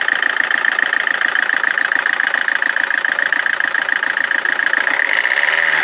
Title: rover 25 diesel rough idle